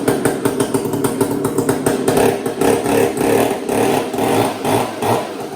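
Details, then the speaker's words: Heavy chainsaw fired up right after the chain was tensioned, loud crisp two-stroke buzz rising and falling with throttle blips, even firing with no misses; runs normally. "thing is so loud. I can feel it in my bones, in my ear bones."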